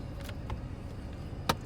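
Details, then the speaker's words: 2012 Chevrolet Equinox, 9 years old, cabin while driving: faint ticks then two sharp clicks a quarter second apart behind the dash from a broken blend door actuator skipping. "my blend door actuator breaks this is all happening at once okay that that's the most annoying thing i've ever heard"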